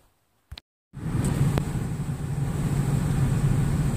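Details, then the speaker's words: 2002 Nissan Xterra 3.3L, which had a random P0300 misfire, after replacing all six injectors and fully seating the number five injector clip: it starts right up and settles into a smooth, even idle. "right guys good news she's sound amazing I just got her running here for about 20 minutes and started right up"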